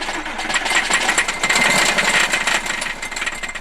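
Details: 2001 Porsche Boxster S 986 flat six, leaking oil from the exhaust and smoking heavily: loud, fast metallic rattle about four clatters a second over the engine note; engine rattle, cause not yet found.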